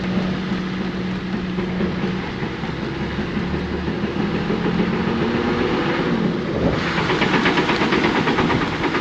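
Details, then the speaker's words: GQ 4x4 at crawling speed with handbrake off: repeated heavy clunks from underneath over steady engine drone; a whine came first, wheel bearing suspected, but the differential was failing and blew; before diff replacement. "I'll take the handbrake off, give it a bit of a drive so you guys can see it. But yeah, the clunking's pretty bad."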